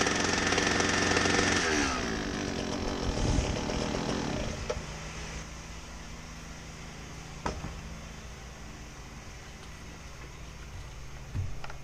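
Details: Husqvarna 122HD60 hedge trimmer, blade screws loosened with no improvement: small engine revs high and buzzy, then sags to idle with little cutter clatter, barely driving the blades; the gearbox is next to be inspected.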